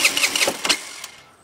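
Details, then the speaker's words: 50cc scooter, 500 miles, new plug, coil, fuel filter, CDI, battery and known-good carb: about five quick starter-cranking bursts, then dies away without catching, even with starting fluid; cranks but won't start, cause unknown. "so here's what it sounds like when I try to start it wait a minute won't start even with starting fluid it won't start I guess I don't know"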